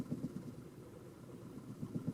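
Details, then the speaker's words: Warmed-up Toyota Camry after a battery disconnect, before the idle relearn: low, lumpy idle with uneven thumping pulses and wavering level, car shaking and barely idling, then stalling, from lost idle learned values. "you can see the car is barely idling and it's shaking i don't know if you can pick that up but that's typical if you disconnect the battery on many cars"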